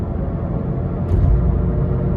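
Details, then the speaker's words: Inside a moving car at 45 mph: deep steady grinding rumble that gets louder with speed and is very loud at 60 mph, changes when swerving side to side; bad front wheel bearing on one side. "All right, guys, so this is the sound of a bad wheel bearing. Can you hear it? It sounds like that. We're going 45 miles an hour. You speed up, it gets louder and louder."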